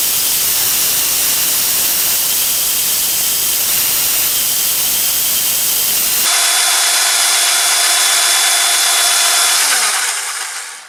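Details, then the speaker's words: Ozito DBS-095 drill bit sharpener restoring a badly worn bit: a steady high hiss of stone on steel over an even motor hum, then the motor winds down; normal grinding. "Okay, it's about 3/4 of the way through. It's creating a nice edge on it."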